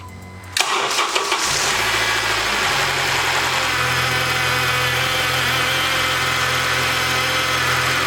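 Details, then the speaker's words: 2012 Honda Accord Crosstour, K24 engine: cold start after a timing chain, guide, seized tensioner and VVT actuator were replaced and P0341/P0171 codes cleared. Quick crank and catch, then a high, even cold idle with no rattle or chain slap. Normal cold start. "The check engine light code is gone, so there's no timing code, and then the noise is also gone."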